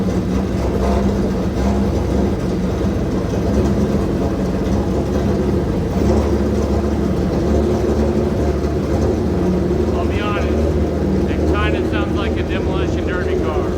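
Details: Old engine at first start after timing belt job, oil pan resealed, fresh oil and filter, leaks present, fuel line burst on startup: loud, coarse, uneven roar with heavy low rumble and no clean idle; rough running.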